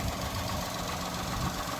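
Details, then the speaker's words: Three-cylinder car after resealing a poorly sealing Chinese catalytic converter with exhaust gum and refitting the exhaust: steady, smooth low idle with no hiss or puffing, no exhaust blowing; normal idle after repair. "so put a bit of gum gum around it and then I put the exhaust back on and now it seems to be running sweet as so as you can hear there's literally no blowing"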